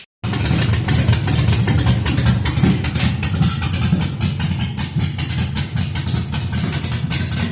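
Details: 1966 Ford F100 on 2008 Crown Vic chassis, LS-swapped cammed V8, after adding O2 and MAF sensors and replacing two failing coil packs: deep uneven chop at idle, two to three lopes a second, no backfires; normal lopey idle.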